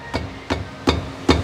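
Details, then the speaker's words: Toyota Camry at its 100,000 km check, rear brake caliper rocked by hand: four sharp metallic clunks about a third of a second apart. A loose rear brake caliper pin, which makes this noise over uneven or old rough roads. "Benda ni, longgar macam ni, selalunya jalan tak rata dia boleh keluar. Ataupun jalan tu jalan geraba, ataupun jalan jalan tar."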